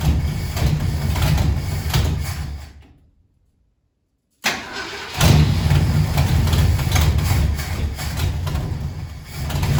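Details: 1968 Ford Galaxie 500 with 390 V8, unregistered and sitting at least 13 years, coil wired directly to battery: runs choppy and dies, then restarts and idles lumpy with uneven pulses.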